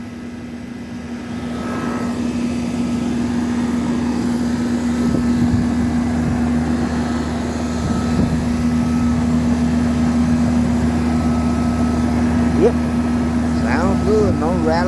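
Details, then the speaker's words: Preschool air conditioner outside condenser unit just wired in and restarted: steady compressor hum and even fan rush, no rattles, knocks or bumping; running normally, though one reading was a little high. "It runs good."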